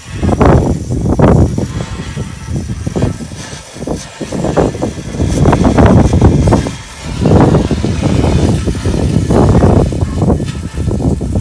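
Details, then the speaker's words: MK4's original factory exhaust resonator, shaken by hand: irregular bursts of metallic jingling, something loose inside; internal rattle from broken-free resonator internals. "So this is the old resonator here that comes with the car. You can hear that down there got the same jingle and it's like shock it like, you know what I mean? It's not supposed to sound like that."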